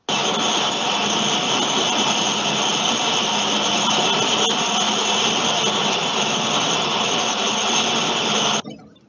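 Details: Grease-lubricated elevator/lift bearing: steady high hissing squeal at constant pitch, then cuts off; noisy elevator bearing.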